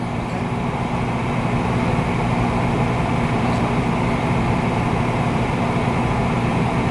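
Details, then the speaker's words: American Standard 90+ gas furnace on a no-heat call (inducer ran, no igniter glow): after restart the burner is lit, with blue flame seen on camera, running with a constant even roar and low hum, no cycling or clicking. Normal running. "you know what it is with my light, I really can't see in there good. It is running."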